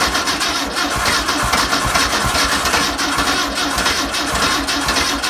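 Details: 1962 VW Type 2 bus air-cooled flat-four, first start after over 40 years, with spark, new belt, cleaned points and fuel poured in: throbbing, uneven putter with rapid pulses, running under its own power; engine starting and running.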